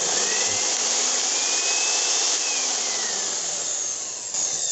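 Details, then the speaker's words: Philips HR2115 blender that was totally dead, motor run on direct voltage during testing: steady high whirr at constant speed with no rattle or slowing. The motor itself is normal. "The engine sounds normal, so there's no sound like rattling or slowing"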